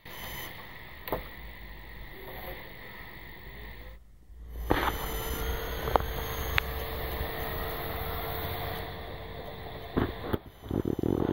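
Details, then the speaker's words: Synology DS1815+ NAS with a 'No Power Fault', run from a PC ATX power supply started by jumping the green wire to black with a paperclip. A click, then a steady even hum as the fan runs and the hard drive spins up. Normal power supply and drive spin-up. "you'll hear the hard drive spin up on this listen"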